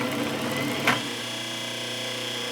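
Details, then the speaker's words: Overhauled 1 HP repulsion-induction Delta saw motor, 1725 rpm, wired for 110 V, with commutator refurbished, new bearings and brush angle increased: one click, then a steady, even hum as it starts unaided and runs smoothly, normal. "didn't have to help it start it up sounds good running smooth as can be"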